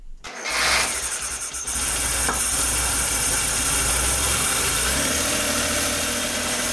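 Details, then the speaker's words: Flood-damaged Suzuki Cappuccino cranks, catches and idles with a loud, steady hiss and rubbing whir, like a belt rubbing but not an overtight belt; later traced to the alternator, possibly from small debris. "ça fait un peu le bruit d'une courroie qui frotte sur quelque chose je ne pense pas que ce soit le bruit d'une courroie trop tendue par contre ça me donne pas cette impression"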